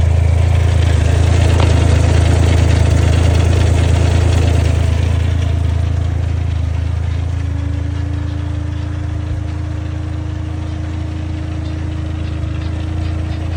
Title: Clutch noise (upgraded fingers)